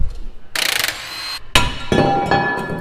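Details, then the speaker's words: Chevy/GMC truck front end, worn-out ball joint worked by hand with knuckle apart: harsh dry metal-on-metal grinding in short bursts, no grease left, steering clapped out; worst worn ball joint, due for replacement. "all these ball joints is so bad dude there's no grease that's just metal metal yeah i wonder if you guys can hear that that might be the hands down the worst ball joint i've ever heard in my life there's nothing in there this is metal on metal"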